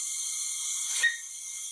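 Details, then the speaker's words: Briggs & Stratton engine, cylinder leak-down test at about 30 to 40 percent leakage: steady high hiss of air at the open oil fill; air passing worn piston rings into the crankcase. "if i have air escaping from here i know that the air is going past the piston rings getting into the crank case you can probably hear it that i can definitely feel the air escaping"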